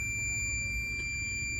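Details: Multimeter continuity beep, steady and unbroken, testing the signal wire from the middle ignition coil to the ECM on a 2014 car with code P0350 and a dead cylinder: the wire is intact.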